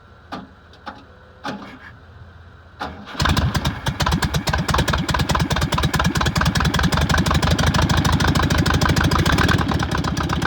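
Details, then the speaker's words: VW Beetle after the starter was installed, fuel fed from a bottle: a few weak cranks, then it catches and settles into a steady chugging idle; the earlier hard starting was caused by slightly off timing. "all right it's running yes i'm super excited huge hurdle that we that i have behind me now"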